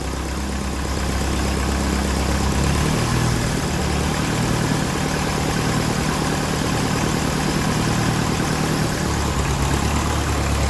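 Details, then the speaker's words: 1954 Ferguson TEF 20 diesel tractor after fuel system was disconnected: idle pitch dips and wanders with occasional stumbles as air in the fuel lines reaches the injectors. "We'll let it come up to the injectors, it'll run bad and we'll do a bit of bleeding there. I'll let it run through first. Definitely air in the system, you can hear it there."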